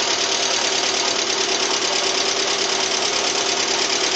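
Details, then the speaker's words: Steady light knock of about three beats per second at idle, cold and hot, on a 2007 Lada Priora 21126 engine, unknown mileage, rebuilt with 82.5 pistons after bent valves; suspected hydraulic lifters or pistons; compression 14 bar all cylinders, jerky revving. "Имеет характерный стук, похожий на звук гидрокомпенсаторов, либо стук поршней."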